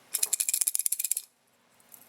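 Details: A loose, bright rattle like a pebble shaken in a plastic case for about a second as an unplugged refrigerator compressor start relay is shaken: the relay is broken inside, leaving the fridge not cooling.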